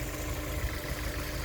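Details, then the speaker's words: 2004 Honda S2000 at 109,757 on the odometer, pre-purchase inspection, heard with the hood open after startup: even, steady, smooth idle with a soft purr and no ticking, misfire or wobble. Normal idle, though there is a coolant smell and possible coolant leak under the hood. "So as you can see, it seems to be running pretty smooth."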